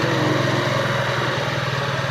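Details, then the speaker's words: TMX single-cylinder motorcycle idling: a loud, busy clatter with a rattling knock on every beat. It is also hard to start, and the engine is being torn down to repair it. "Issue nito guys maingay yung makina makaldag ah may kalampag malagitik tapos hard starting siya."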